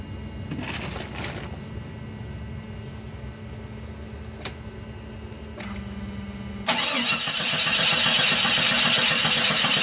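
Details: 1996 Jeep Grand Cherokee that stalled at idle unless throttle was held: after cleaning the dirty intake/throttle area, the engine starts and settles into an idle on its own with no throttle.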